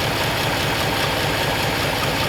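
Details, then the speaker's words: 1939 Ford Coupe idling after replacing a bad fuel pump, which may have had raised pressure overflowing the carburetor: even, lumpy idle with steady rumble and no stumbles or miss; normal idle. "Happily running. Yep. Sounds better already."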